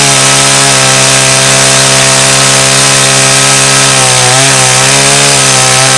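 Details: About 35-year-old Stihl 084 AV chainsaw, restored and cutting a slab from Australian red gum; strong, steady high snarl holds pitch through the cut without bogging, pulling cleanly and healthy.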